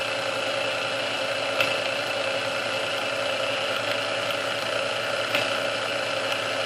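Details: Restored Sunbeam Mixmaster Model 12 that had been quickly overheating its rebuilt speed resistor, after swapping all internal parts: steady, even whir at one pitch on first (low) speed for about 2 minutes, no surging, straining or speed creep; original cause unknown.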